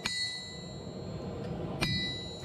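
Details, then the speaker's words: Vevor 110 lb single-horn cast steel anvil struck with a hammer: two blows each leave a bright, clean, lingering high ring with good rebound, over dogs barking; healthy anvil. "I do apologize for the dogs, but you should be able to hear the pinging over them barking, I would hope."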